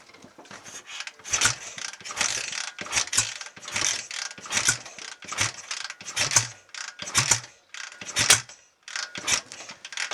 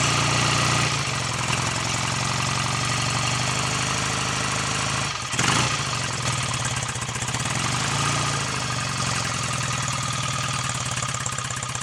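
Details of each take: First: BSA A65 Lightning first start attempt after full engine rebuild, Pazon electronic ignition roughly positioned: repeated kick-over bursts about once a second, rattling and clacking, never catching; suspected ignition timing off, to be shifted. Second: BSA A65 Lightning twin with electronic ignition, first start after full engine rebuild (new big ends, main bearings, cleaned sludge trap, top end overhaul), timing not yet strobe-set: even tick-over with a brief dip midway, mechanically quiet, no knocks; healthy idle.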